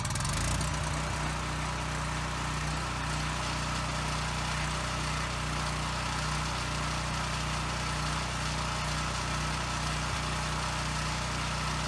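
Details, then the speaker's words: Husky generator that sat 5 years with bad fuel, freshly cleaned carburetor, short test before load test, air filter and a spring still needed: steady low drone with a faint slow rise and fall in speed; slight no-load governor surge. "Okay, good. It runs really well. It does have a slight surge at no load, which is pretty typical with these, so I'm not going to worry too much about that."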